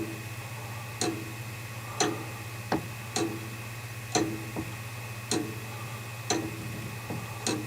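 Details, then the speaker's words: Comtoise clock rehung in its case with weights and pendulum after workbench repair: crisp ticks about once a second, tick and tock nearly evenly spaced while being set for a regular beat; clock in beat. "On écoute le tic tac. On cale l'horloge de façon à obtenir un tic tac régulier."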